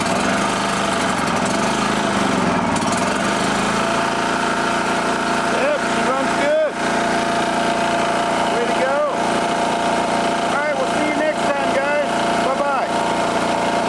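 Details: Long-sitting generator after carburetor float and needle service, fresh battery charge, choked start: settles into a steady, even hum with constant pitch, no misses or surging; runs smoothly and healthily.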